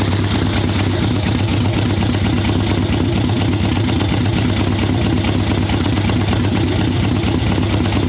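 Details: Harley Ironhead Sportster chopper with Mikuni VM38 carb, cold day, idle circuit tuning after running on choke: loud, loping V-twin idle thudding unevenly and lazily, boggy; rich mixture, owner unsure it is only the carb.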